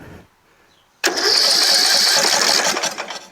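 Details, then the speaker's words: Rebuilt tractor with newly installed engine, magneto, flywheel, fuel lines and carburetor fires in a brief two-second burst then dies, with lots of fuel coming out the exhaust; owner suspects the carburetor (maybe a missing jet); valves not yet set. "look how much fuel is coming out of the uh exhaust you know so much out of here too it's terrible doesn't seem like it wants to start ever"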